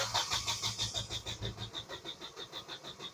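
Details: Diesel car cranking during live-data check, rail pressure not building up: steady cranking at about three beats a second with no catch or firing; no-start traced to leaking injector starving rail pressure.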